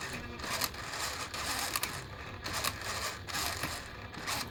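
Sharp dry clicks come roughly every half second from the servo over a quiet background; a clicking servo, cause not clear.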